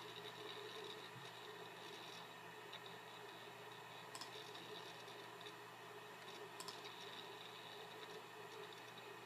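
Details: Computer hard drive during program launch or file access: quiet steady whir broken by a few sharp isolated clicks.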